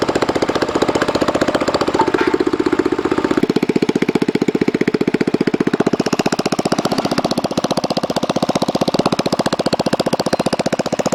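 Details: DR RapidFire PRO-XL log splitter, just back from the shop: loud raw evenly pulsing single-cylinder exhaust at about three beats a second, unmuffled; the muffler failed and broke off within 30 minutes of splitting dried cottonwood.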